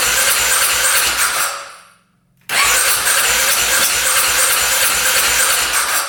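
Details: 2010 Polaris Sportsman 550 EFI ATV that hadn't run in years, cranking after a clogged case breather line was cut: long bursts of fast rough cranking with short pauses, almost catches but never runs; cranks but not starting.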